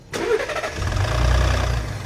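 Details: Ford Raptor 3.5TT engine on startup and at idle: fast metallic rattle from chain sprockets and cam phasers, camshaft jumping severely.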